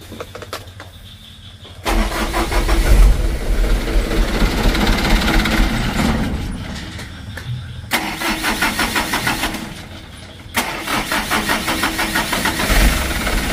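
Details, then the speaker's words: Mitsubishi Canter diesel, rainy season: long starter churning, stopping and retrying, engine slow to catch; hard start with long cranking, mechanic is sure the injection pump plunger is at fault. "Nah seperti itu teman-teman ya, starternya hidupnya itu sulit, starter panjang. Jadi menurut saya sudah pasti itu permasalahannya di plungernya."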